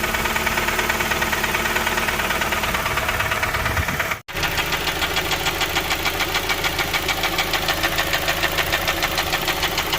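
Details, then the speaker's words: Honda Stream at idle: heavy, even tick about two per second throughout, with power loss, attributed to cam lobe galling (pitted cam lobes). "It's like a heavy sort of tick, tick, tick, tick sound. You'll hear that, and that is cam lobe galling."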